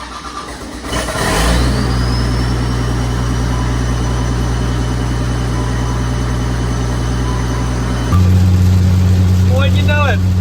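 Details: Cat 930G loader diesel, reportedly freshly rebuilt, with what looks like a VP44-style pump, after fixing a bad ground wire and a hung throttle pedal: cranks, catches and settles into a steady even run, revving cleanly; starts and runs normally.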